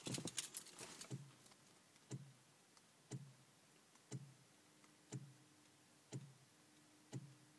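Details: DeLorean VIN 6080 that won't start (no fuel delivery despite replaced fuel pump): after key off, single sharp clicks about once a second from the relay compartment; owner unsure whether normal, cause unknown.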